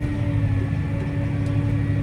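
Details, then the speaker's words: Grain cart auger pulled by a John Deere 8235R, unloading after a terrible clunking noise was fixed at the auger end: steady low drone with a constant mid tone, no knocks or clunks, running smoothly. "this time we can actually unload without cl cl clunk so yeah it seems to be working perfectly fine now"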